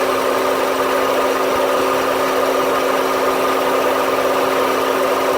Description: My 2008 honda civic makes a noise after the ac clutch shuts off the whole engine shakes sounds inside